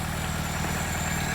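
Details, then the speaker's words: 1980s Vauxhall hot hatch barn find idling with an even low burble from the downward tailpipe, no knocks, misses or hunting; exhaust intact, engine running sweetly. "That is really, really bloody nice. Wow."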